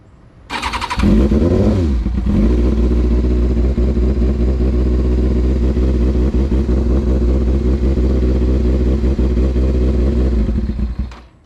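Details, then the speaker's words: Carbureted Kawasaki Ninja ZX6R after rebuild, cold start on choke: catches after a short crank and settles into a slightly uneven, lumpy idle; rough cold running that smooths out once warm, idle set to 1,000 rpm. "thing runs like ass whenever it's cold."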